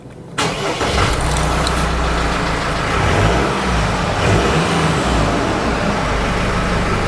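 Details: Jeep Wrangler 2.8 CRD diesel after a fuel filter replacement, primed first: short crank, then it catches at once and settles into a steady, even idle with no stumble or misfire.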